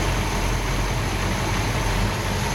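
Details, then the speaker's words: Hemi V8 muscle car engine idling with 14 degrees base timing and vacuum around 13.5 inches, which is called pretty much optimized; steady, even low rumble with no misses, knocks or ticks, normal idle. "our vacuum is bouncing around 13.5 inches. And that's pretty much optimized."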